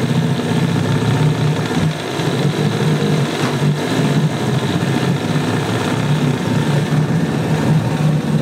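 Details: Yamaha 9.9 two-stroke outboard, salty and abused, after clearing a plugged passage and fixing the no-shift problem: steady, slightly uneven burble holding speed without dying; runs, shifts and pees, slight carb spitting, needs adjusting with air silencer on.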